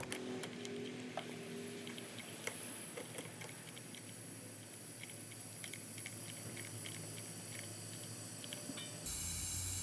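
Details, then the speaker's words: Nissan Z31 with smoke from valve cover breathers, leak-down test at about 100 psi, cylinder at top dead center: high leak percentage, air whistling out of the dipstick tube, nothing from intake; steady airy hiss of piston ring blow-by into the crankcase. "the rotor hasn't turned and i can hear it uh air whistling coming out of the uh dipstick tube nothing out of the intake"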